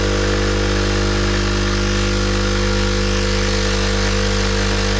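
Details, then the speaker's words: Sage Barista Express pulling a double espresso shot: steady loud even buzzing pump hum, no surging or rattles, pressure within the espresso range; normal pump operation. "So looking at the coffee machine, we make sure that we're getting pressure within the range, the espresso range."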